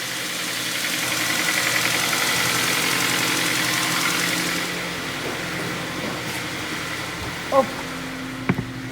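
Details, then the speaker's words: Kia Ceed 1.4 G4FA petrol, 184,000 km, seven years old, idling with a dull uneven knock; burns oil, owner suspects worn rod bearings and crankshaft needing grinding, plus piston knock; engine rebuilt with 0.5 overbore. "скорее всего мне так почему то кажется что коленвал придется шлифовать то есть судя по звуку тарабанит тарабанит он давно масло издавна поэтому угар масла идет"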